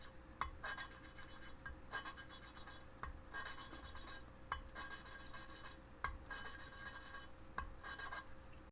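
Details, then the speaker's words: Mitsubishi 4G63T cylinder head, hand lapping a leaking intake valve: slow back-and-forth strokes about every 1.5 seconds, now finer rather than gritty, turning smooth as the valve face and seat mate. "It goes from a more grittier sound to a more finer sound, but the moment you realize that you're there already is when it sounds smooth all the way."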